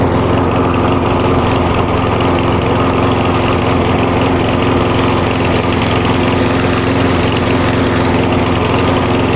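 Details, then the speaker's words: Walk-behind single-cylinder lawn mower after winter storage, warm after about 10 minutes idling: steady even idle, no misses or surges; healthy after fuel-related starting problem. "Alright, now I've been letting it idle for about 10 minutes now."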